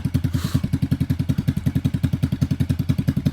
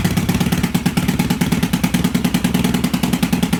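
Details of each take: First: 1986 Yamaha XV750 Virago on a Gen1 KJS single-carb manifold, first run after winter, recorded from behind the bike. Even, steady quick idle with both cylinders firing well, slightly rich, sounding better than the homemade manifold. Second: 1986 Yamaha XV750 Virago V-twin, first start after winter with Gen1 KJS single-carb manifold, old gas, dirty carbs, choke disconnected, cold: lumpy uneven idle with irregular popping and loose clatter; rough running from carburetion, needs cleaning and tuning.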